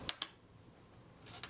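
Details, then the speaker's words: Zeiss Ikon Contaflex II leaf shutter, reassembled with molybdenum paste, fired at 1/8 s: two crisp, even clicks sound correctly timed, though this is still to be confirmed on a shutter speed tester. "i'm inclined to think that's pretty good i have to test that on my shutter speed tester to confirm that but uh that sounds pretty convincing"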